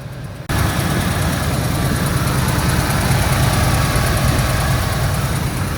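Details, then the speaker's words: 1973 Ford Gran Torino Sport, 351 Cleveland V8, first run after 35 years sitting, no fuel pump hooked up, idled down: steady even low rumble with no knocks, misses or rattles; normal idle, runs not too bad. "Didn't really have any tools to mess around, so It actually sounds like it runs not too bad."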